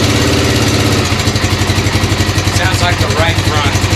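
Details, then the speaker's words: 1996 XR600R built from parts of about seven bikes, first start after kicks on full choke, steady idle with a dry regular tapping on each firing pulse. The owner suspects the valves need adjusting, unconfirmed. "sounds like I need a valve adjustment"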